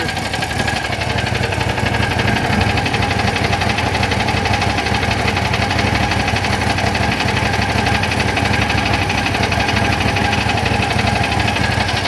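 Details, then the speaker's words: John Deere GT225 lawn tractor, no-start when warmed up; long steady cranking at about four beats a second that never catches; owner thinks the starter overheated from repeated attempts. "She's not going to start now. Yeah, it's definitely, nope. She's done. I toasted my starter doing that."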